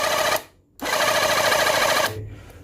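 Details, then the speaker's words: Battery portable Reaim jet cleaner that was totally dead, tested after rotor housing reassembly and grease check: steady high buzz from motor and pump, off briefly then on, even with no grinding; pump, piston and motor back to normal. "Sudah kembali normal ya, Teman-teman ya untuk pompanya dan untuk pistonnya dan juga untuk dinamonya."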